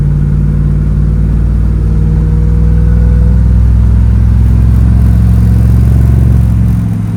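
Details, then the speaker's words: 1965 Chevy Nova wagon with a newly fitted Holley 450 carburetor, on a test drive with the air cleaner on: clean, steady rising note with no stumble or hesitation, accelerating smoothly from idle, better than the old carburetor. "Better than before. Much smoother acceleration."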